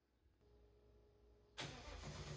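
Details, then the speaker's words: Ford Mustang S550 drift build started after its leaking exhaust was fixed with a Harbor Freight pipe expander and new clamps: quiet lead-in, then it catches into a steady, even idle with no puffing or ticking; normal start and idle. "Let's fire this bad boy up and see what it sounds like with no giant exhaust leak."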